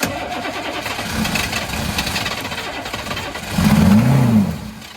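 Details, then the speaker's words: 1983 Chevrolet squarebody 6.2 diesel, first start in years after bleeding air and refitting the injection-pump fuel shutoff, no starting aid. Short crank, then fires and settles into steady clatter with a brief rev, a little smoky. Normal start. "sounds pretty good she's a runner it's exciting"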